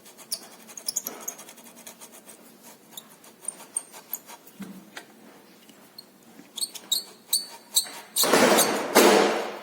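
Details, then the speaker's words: Renault Sandero steering column: short, high-pitched chirps and squeaks come irregularly as the steering is turned; the bearing inside the column is not seizing, and lack of lubrication is suspected, not confirmed. "um rolamento não tá trancando meu pai parece que só falta de lubrificação mesmo"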